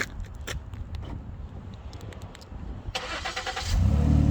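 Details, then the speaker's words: 2011 Ford Edge Limited at remote start: the engine fires into a loud, deep, blatting rumble from what sounds like a pretty good exhaust leak, with the exhaust hanging down a little underneath; exhaust work is being done. "remote start sounds like it's got a pretty good exhaust leak and if you look underneath it's kind of hanging down a little bit"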